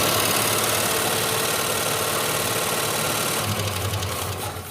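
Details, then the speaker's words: 1971 Plymouth Satellite with a 383 big-block, running on a known-good carburetor after sitting on a farm: fast, even lifter ticking about four per second. Oil pressure is questioned, the lifters are possibly sticky, and ATF is being considered. "how come it's not getting oil pressure how do you know didn't you hear the lifters I heard that but I'm wondering maybe they might just be a little sticky"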